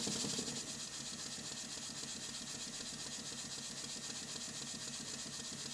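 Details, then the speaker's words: Restored Stuart model beam engine running on compressed air, after fitting a silicone O-ring to the piston and adjusting the valve timing: a quick, even chuffing beat about four per second with light clatter. Admission occurs before top dead center, and the engine runs smoothly. "that seems to be running quite well i turned off the compressed air and turned it back on again and you can see that it's definitely admitting before top dead center the main thing is the engine is running in harmony with itself"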